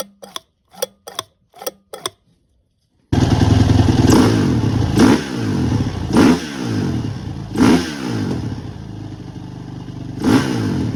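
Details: First-gen Honda CRF450X with rebuilt Keihin FCR carburetor (teardown, ultrasonic cleaning, all new gaskets and seals): a few light clicks, then the single fires and runs with crisp throttle blips that climb and drop cleanly back to steady idle; normal running.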